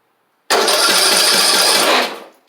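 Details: Husqvarna YTH2042 rider, engine reinstalled with no fuel hooked up: quick even cranking whir for about 1.5 s, spins freely without drag, not firing; cranks normally, valve clearances good.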